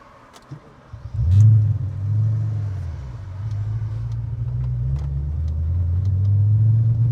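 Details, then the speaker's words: Audi RS4 B7 4.2 V8 at idle after restart, felt lumpy low down and had just stalled: lumpy uneven rumble with faint sporadic pops, sounding like a misfire; root cause not yet found. "See that sounds like a misfire."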